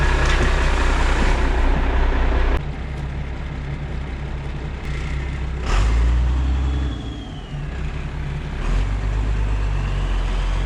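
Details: Semi truck, cold start after fixing the fuel shutoff and wiring a battery switch. The diesel fires with a loud rattle, then settles into a steady low clatter at idle with an air hiss partway through; a clean cold start.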